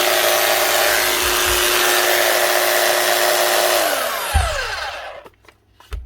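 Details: Makita HR3210C rotary hammer after motor replacement: steady even motor whine with no rattle or roughness, then clean smooth spin-down at switch-off; normal running.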